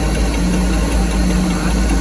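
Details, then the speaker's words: 1979 Bayliner inboard engine revived after a fuel line change, idle turned down slightly, with oil pressure, charging and very little blow-by: a smooth, steady low rumble with no knocks or misses; it runs well. "it's running. Sounds good."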